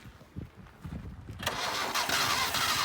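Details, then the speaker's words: 1978 Datsun 1500 Ute GN620, first start after 20 years in a shed, accelerator held flat: slow, uneven cranking then a brief louder burst as it catches; fires briefly but won't keep running. "Oh, wants to run. Put your foot flat on the accelerator. Crank it. She wants the fire."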